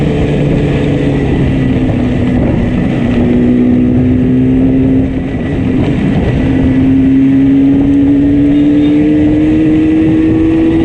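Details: Yamaha RD350 two-stroke twin limping home under way: thin, uneven engine note with one cylinder misfiring heavily.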